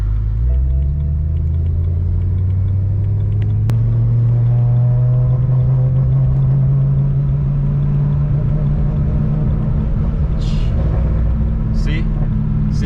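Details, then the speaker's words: BMW M3 about two minutes after start, SES light on, one week after throttle actuators replaced and alternator failed: deep uneven rumble dipping and catching, engine stuttering with power loss; owner suspects a bad throttle actuator, unconfirmed. "right as i cut the video it just stuttered so hard oh my god this is terrible"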